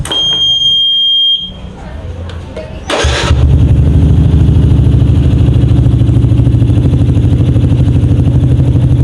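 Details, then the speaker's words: 2007 Yamaha Jupiter MX after tune-up: 57 mm Vixion-block bore-up, BRT T28 camshaft, BRT dual-band CDI, porting, 28 mm header exhaust. Brief starter whir, then a steady, even idle at about 1000–1500 rpm; healthy running. "jadi suaranya seperti ini teman-teman. Agak sedikit. Oke, kalau untuk RPM-nya sendiri berada di sekitar 1000 sampai 1500."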